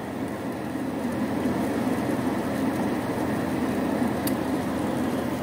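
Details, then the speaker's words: Carrier Infinity furnace after flood repair with replaced control board, inducer motor and gas valve: inducer runs, click, igniter glows, then steady even burner and blower whoosh, no bangs; normal burner ignition. "you can see the inducer motor is on it will kick on once it gets up to speed they hear the click and soon you will be able to see the glow in there there you see the blow and the burner should fire"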